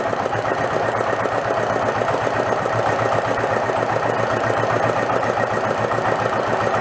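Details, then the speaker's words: Renault single-cylinder marine diesel revived after about 20 years in a shed, with fuel now through the pump and throttle all the way down. Fast, even chugging with an open-port bark and no misses. Won't shut off without starving the air. Normal running. "so that's more like it there's only one problem i can't shut it off i gotta starve it for air"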